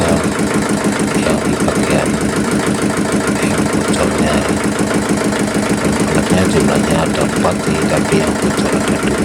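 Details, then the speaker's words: Yulin 2105 rice-mill diesel idles steadily and evenly with no ticking, puffing or misses after valve seat work on both valves fixed a compression leak that caused hard starting; normal idle. "Oke, sudah jap. Mesin sudah hidup normal dan selamat. Mudah-mudahan tidak ada kendala lagi."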